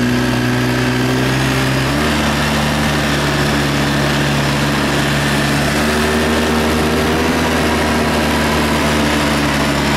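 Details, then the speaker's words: ATV test ride after servicing and reassembly, which had snapping and crunching noises before: a steady drone whose pitch shifts with speed, with no snapping or crunching, so the drivetrain now sounds healthy. "Sounding better for snappy, crunchy wise. It was pretty bad before, so let's go for a rip around the field, I guess, here and see if I hear anything funny."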